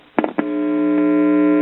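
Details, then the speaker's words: Circa 1974 GE all-in-one stereo with a dead left channel: touch clicks, then a loud steady hum injected past the volume control that holds level regardless of volume; this stage passes signal, so the fault likely lies between the volume control and this point. "that's past the volume control and the harm level has not dependent on the volume control setting so that tells me that our trouble most likely lies between our volume control and this point right here"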